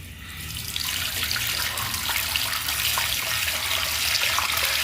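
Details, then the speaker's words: Faucet on a 2000s-era Celite sink: rushing water with a hiss and a faint uneven rattle. Noisy faucet, cause not evident. "fazendo tá muito barulho. Tá fazendo barulho."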